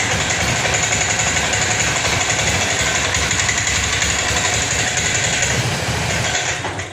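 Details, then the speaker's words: Honda Scoopy injection automatic scooter: uneven, sputtering idle with a ragged stumbling beat; the engine dies when throttle is opened. Fixed without replacing parts. "ya ketika langsam ini berebet tidak normal saat dipaksa digas ini malah mati"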